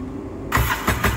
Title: siraniko hahahahhaha ayaw umandar